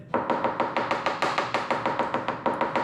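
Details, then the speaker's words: Coin tap test on the fiberglass rear hatch of a Porsche 944, before a drill-and-fill epoxy repair: quick taps, about six a second, turn dull and flat over a void or disbond instead of high-pitched and crisp. "And then as you go across, once you get to a void, it's going to create a dull sound. So listen to this. So you can hear So you can hear that dullness."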